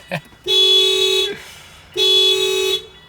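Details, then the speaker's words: Project car with the alarm going off, so it will not start: two steady horn blasts of almost a second each with a short pause, then silence as the alarm drains the battery. "And the alarm going off just killed the battery. I missed it, but you could hear the horn just slowly die."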